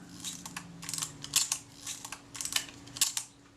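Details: Kodak Retina IIc camera after flattening an over-bent part that kept the film release lever from rising and stopped the shutter completing: crisp mechanical clicks in quick groups, each snapping through cleanly; normal full shutter cycle.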